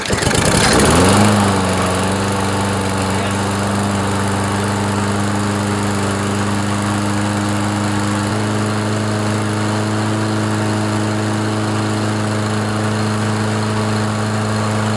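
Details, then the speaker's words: Toro mower with Briggs & Stratton 7.25 163cc OHV engine, after head gasket replacement that cured a puffing sound: starts cleanly, steady even drone stepping up slightly midway, runs smoothly until shutdown; normal running. "No more huffing and puffing."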